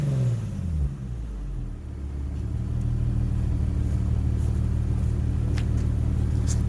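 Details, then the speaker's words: Infiniti G37S coupe at first start after installing a Top Speed Pro-1 dual exhaust: the engine catches, flares, then settles to a smooth, deep, even idle rumble that is barely audible from inside; normal, healthy idle. "Alright, so my first starts are, you can barely hear it a little bit on the inside. It's not too loud."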